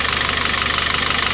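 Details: Citroën C4 2.0 at idle. Rapid, even, sharp ticking of well over ten a second riding above the engine; oil pressure, oil pump or the camshaft hydraulic lifters had been suspected.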